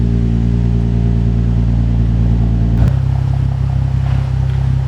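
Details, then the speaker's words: Nissan 350Z with decat exhaust after misfire repair (a missed plug suspected), cold start then warm: loud deep exhaust holds raised idle then drops to steady lower idle, no missed beats; no misfire. "right so it's now off of a cold start on a warm stop it doesn't sound like it's misfire"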